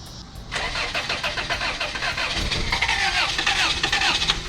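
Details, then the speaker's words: 1991 Toyota Corolla 1.6 L inline-4, about 113,000 miles, sat over two years: the starter churns slowly and unevenly for several seconds but never fires. The owner suspects the two-year-old battery and possibly stale fuel. "I hope it still runs super crank probably won't because the battery's two years old"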